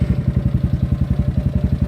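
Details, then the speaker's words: GY6 scooter build, first start before tuning via ignition and start button: crisp even single-cylinder putter at about 1350–1400 rpm, steady with no knocks; normal idle. "it sounds wonderful I don't even know if I feel like tuning anymore one it's still at about 1400 to 1350 rpm"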